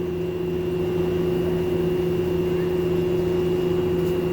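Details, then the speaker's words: Lloyd 1.5-ton 5-in-1 convertible inverter AC bought April 2023: a constant droning hum and buzz with a faint high whistle since installation, with no vibration and a stable stand. Still unresolved after two service visits; the hum is abnormally loud. "there is a noise the humming noise one is buzzing one is hump [Music] humming see that's the official kind of noise it makes"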